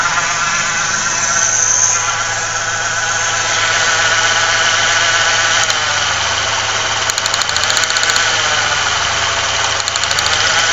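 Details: 1995 Ford Ranger Splash 3.0L V6 at idle: lumpy, irregular shake about four per second with no steady beat, heavy vibration and strong gas smell; rough idle, likely misfire, spark plug wires being checked.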